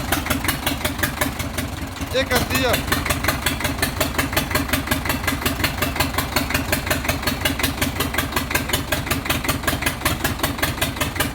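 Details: Chinese 4-cylinder diesel for a Shahzore roller, started before fitting to the machine; it was missing, injection pump since repaired and refitted, not yet checked. Uneven idle chug near 160 beats a minute, lurching irregularly; misfire, injection side suspected.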